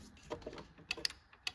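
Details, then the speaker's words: John Deere 445 tractor, crank no start: a few sharp, irregular relay clicks with no pump whir behind them; relays clicking but fuel pump not running, fault traced to a bad fuse holder. "No, I still don't hear the fuel pump though. I still don't hear the fuel pump. It's like all the relays are clicking. No fuel pump."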